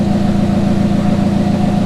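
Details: Toyota Avanza, after replacing the noisy, poorly cooling AC compressor with a new Denso unit and flushing and vacuuming the system: smooth, even hum at idle with no growl or rattle; AC now running quietly and cooling strongly.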